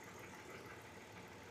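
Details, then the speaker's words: Hyundai Veracruz, lean code, checked after intake gasket repair by spraying brake cleaner around the gasket: soft even idle with steady speed, no popping noise, no RPM change and no misfire counted; engine healthy. "so far right now um I don't hear anything popping noise a change in RPM which is good and I don't have misfire here as you can see"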